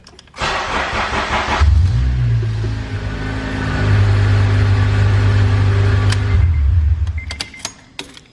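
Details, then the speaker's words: Acura TSX (CL7/CL9) with the old ECU plugged back in after a new ECU install failed on the immobilizer; immobilizer light went off: brief crank, then it catches cleanly into a steady, even idle. Normal engine start. "Yep, the light went away. Now the car should start."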